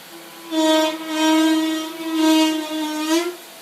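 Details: 2009 Mazda5 rear brakes, creeping after sitting overnight in garage: loud low squeal in three slow swells; stock ATE pads absorb moisture after rain or humidity; premium ceramic pads fix it.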